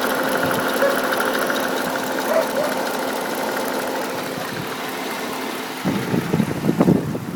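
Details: 2008 Pontiac G8 GT V8 idling, recorded with hood open: even idle with a light, fast tick at engine speed, owner suspects the common lifter tick.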